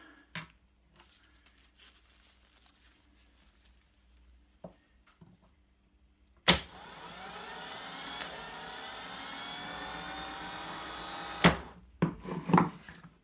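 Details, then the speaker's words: Moto Guzzi Griso starter motor with intermittent starting despite new starter and fully charged new battery, bench-run with no load: about five seconds of steady electric whir with a clunk at each end; spinning slower than expected. "I have to say that's not spinning particularly quickly last on my strip today I seem to remember it turned over a lot quicker than that"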